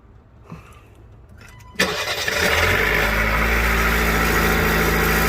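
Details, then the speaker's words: 2021 Jeep Renegade after a no-start where the whole system was unresponsive, judged not a battery issue: quiet clicks, then a brief crank catches and settles straight into a steady, even idle. Normal start. "hop in there go ahead and try to give it a start real quick it's going to work"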